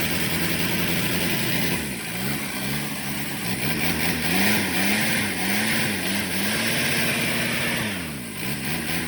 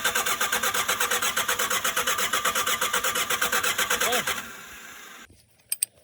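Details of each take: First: Shengong 20 diesel that would not start, after replacement of its high-pressure fuel pump; it catches and idles with rpm rising and falling and a few blips, firing evenly without misses. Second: Shengong 20 that won't start: steady starter cranking about two beats per second for four seconds, never catching; failed high-pressure fuel pump, fixed by replacement.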